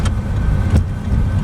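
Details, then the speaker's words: No suspension clunk or rubbing over the bump on a Toyota Corolla daily driver after suspension work, ride height unchanged since last adjustment; steady low road rumble with only a soft dull thump, suspension sounds tight. "Over that bump, no clunk. Ooh. Over that bump, no clunk, no rubbing, of course, because nothing is changed from the last time I adjusted height."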